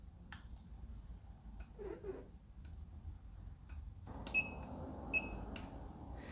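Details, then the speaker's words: SigmaProbe circuit tester connected to a headlight (ground clip on one post, probe tip on the other), up button held for pulse mode: sharp uneven clicks about one per second with short bright beeps; pulse mode clicking. "so i'm going to make sure this probe tip is on the other post hold the up button and it's going to activate the pulse"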